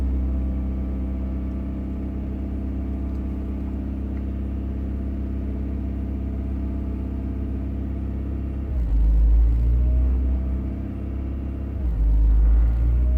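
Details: 1990 Honda Accord, customer complains idle goes up and down when warm; idle slightly high, check engine bulb removed: warm idle runs steady, then swells and drops twice within a few seconds; idle surge, cause not yet determined.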